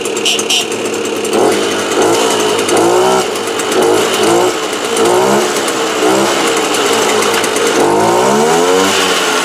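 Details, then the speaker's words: Small two-stroke moped (AV 89) running normally after refitting the head with a head gasket of the correct thickness, not yet warm; steady buzz with clean rev blips. "Donc bah écoutez, hein, quand le joint de culasse est de la bonne épaisseur, ça marche nickel."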